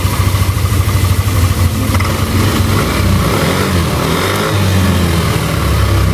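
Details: Yamaha Aerox scooter brought in for a harsh rattling engine noise: idles, then revs cleanly with pitch rising and falling smoothly, no rattle or grinding; normal running.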